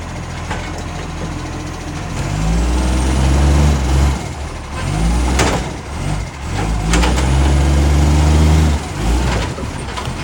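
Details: Ryde Green Waste refuse truck SL757, diesel: revs up in surges with a harsh puffing rasp over the engine note as load comes on, typical of a leaking exhaust.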